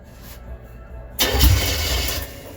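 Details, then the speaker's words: 1963 GMC farm truck being resurrected: quick crank, catches and revs up with a loud, strong exhaust, then settles; a healthy start that sounds good. "Oh, shoot, that is loud. Sounds good."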